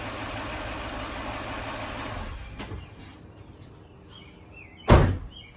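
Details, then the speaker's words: 2004 Lexus GX470 first start after teardown, timing redone, compression readings inconsistent, no coolant yet: steady, even idle around 700 rpm, no stumbles or misfire, then a door thud; some smoke blamed on leftover radiator fluid boiling off. Normal idle. "She's idling about like 700 RPM. Just a tad under 1,000, so idling's good."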